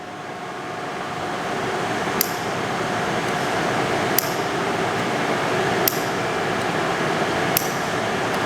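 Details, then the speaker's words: Custom machine-shop coolant system: the water solenoid is wired to a float sensor and tank-empty light and opens when the tank empties. Four sharp, loud clicks roughly every 1.5 seconds over shop hiss; the solenoid is clicking normally. "i assume you can hear that it's quite a loud click yes so right now the tank is full when the when this drops and the tank is empty light goes on solenoid clicks open"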